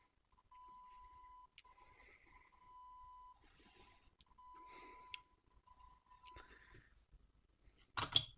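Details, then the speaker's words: JCM 900 guitar amp dated April 1990, on the bench with a test tone: signal drops out and cuts back in with scratchy crackles as the loop level pot is turned; dirty potentiometer needing cleaning. "just tweaking this pot the uh loop level pot and our signal is jumping in and out so that pot definitely needs to clean"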